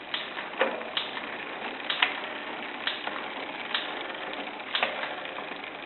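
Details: Shimano Zee RD-M640 rear derailleur with the clutch on: dry, irregular creaks about once a second when shifting; cleaning and regreasing suggested, otherwise a replacement part is needed.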